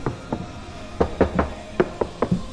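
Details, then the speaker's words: Project Legacy driver's front door after sound deadening (Focal BAM outer skin, Dynamat inner skin, wiring taped), door card refitted: knuckle raps give dull, solid thuds that die away at once with no buzz or rattle; it sounds much better. "No rattles to be heard. That sounds so much better."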